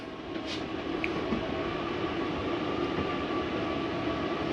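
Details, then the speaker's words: Jayco Jay Feather 25RB travel trailer slide-out retracting: low steady motor hum with faint light grinding at the end, which is the mechanism stopping itself from going in further; normal, nothing wrong. "I do want you to hear that little grinding noise. It's okay to hear. There's nothing wrong with your slide. That is just the slide mechanism telling itself not to go back in any further."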